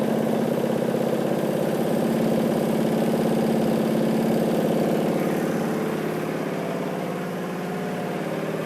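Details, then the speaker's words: John Deere 14SE mower with Kawasaki FC150V single-cylinder engine, first run after revival, unloaded; speed swells and sags unevenly, governor hunting, said to disappear under blade load. "If you could hear, it kind of wanted to was like hunting. It's somewhat normal with Kawasaki."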